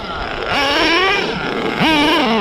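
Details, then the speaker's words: Redcat Nitro Earthquake 3.5 nitro RC engine after adjusting the carb a quarter turn: revs scream up at full throttle then sag and hang flat instead of pulling clean, twice over; still a massive bog at full throttle. "it's still bogging down full-throttle massive bog down this is like"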